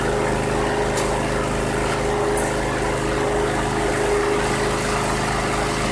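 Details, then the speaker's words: 2001 Cub Cadet 3184 (MTD-built), Kohler CH18S 18 hp OHV engine, 848 hours, previously running rough. After a tune-up it starts instantly and idles steady and even, with no surging or misses. Runs smooth and solid. "What a difference that made. 848 hours and that engine sounds solid."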